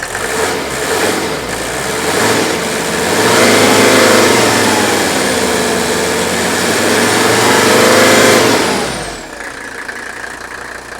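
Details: Mercedes diesel, strong engine, V-belts due for replacement, brought off idle: pitch climbs smoothly and holds, then drops back evenly; healthy diesel revving.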